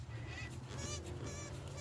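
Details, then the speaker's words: Removed original water pump from a Honda 3.0/3.5L V6 (Accord/Odyssey) during timing belt job, turned by hand: high, wavering squeaks from a worn, dry bearing; replaced with new pump and gasket. "See that squeaky sound? Wow. With that sound, when this vehicle's running, that'll be annoying. So this is a really bad water pump."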